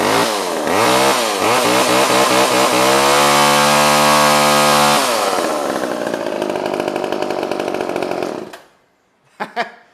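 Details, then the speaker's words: Old pre-1990s two-stroke chainsaw restarted without warm-up: revs cleanly, pitch climbing and holding steady before a crisp shutoff; strong, healthy running with no misses. "Everyone's good. runs a runner. That didn't need to warm up or anything. That one just kind of started right up."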